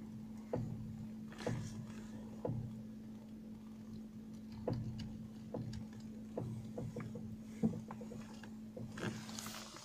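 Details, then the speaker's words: Kia Sportage, steering wheel turned, heard near the right front corner: sharp separate clicks about once a second over a faint hum; front suspension clicking, suspected strut top mount bearing, not confirmed. "şimdi direksiyonu çeviriyorum ve dikkatli dinleyin bir Tıkırtı sesi gelecek çeviriyoruz direksiyonu döndüm bir ses geliyor"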